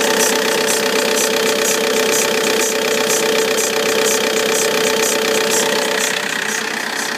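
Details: Vauxhall Insignia 2.0 CDTI diesel, cold-start idle: steady whine and rapid chatter about 2.5 per second from the alternator/belt side, gone once warm; owner suspects belt, pulley or tensioner, unconfirmed.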